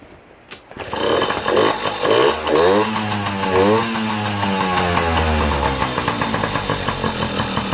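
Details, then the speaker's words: Yamaha PW50 two-stroke, sat in a shed for years, test fire after revival before refitting seat: fires after a pull, buzzy revs up and down, settles to a steady rattly idle; runs well. "yeah she runs good well that's pretty much a wrap for the PW50 she's up and running beautifully awesome"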